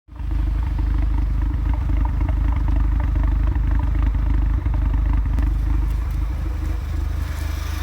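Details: Audi A3 2.0 TFSI stage 2 idles roughly with uneven stumbling lope; check engine light for misfires on all four cylinders; PCV valve replaced without change, owner next suspects the air box.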